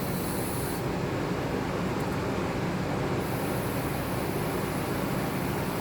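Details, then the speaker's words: Toyota Camry engine off, cooling system pressurized with a cone stopper: steady hiss as pressure leaks straight into the cylinders and won't hold at all, a badly blown head gasket. "it's leaking so bad it's coming out the cylinders it's not even holding any pressure"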